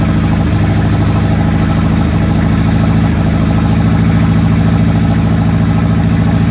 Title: Long video. 22ret misfiring.